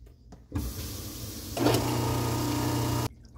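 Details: Newly installed InSinkErator garbage disposal, after reconnecting the air-switch tube to the adapter box: motor spins up with a smooth steady hum under running water, no grinding or jamming; working properly.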